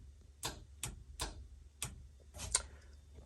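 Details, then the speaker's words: 1966 Chevy Nova with a newly installed B&M Pro Stick shifter, line lock and trans brake wired, key on in a quiet cabin: a series of sharp, clean clicks; the solenoid engages normally. "And you'll hear the solenoid of the trans brake when I hit this button."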